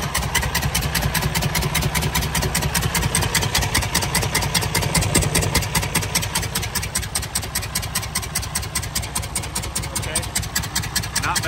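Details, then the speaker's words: 2019 Freightliner Cascadia DD15 diesel, 785,000 miles, engine noise complaint: lumpy, uneven idle about two and a half beats a second; mechanic suspects a bad exhaust valve and an exhaust or intake manifold leak, later found cylinders 4 and 6 with zero compression. "actually let's just fire it up and let's see what the hell this thing sounds like so bear with me here sounds like a bad valve exhaust"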